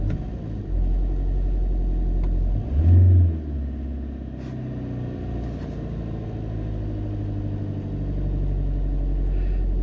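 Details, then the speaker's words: Ford Transit Connect diesel with a prior idle-hunting problem, after a fix found with an OBD reader: starts on the first key turn; steady, even idle, and one quick rev drops straight back and holds without hunting. "only you have to turn the key once and she starts let's just have a listen to those revs"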